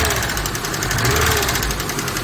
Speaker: Слышите, что происходит? Ладно, снимаем клапанную крышку, посмотрим, какой компенсатор стучит.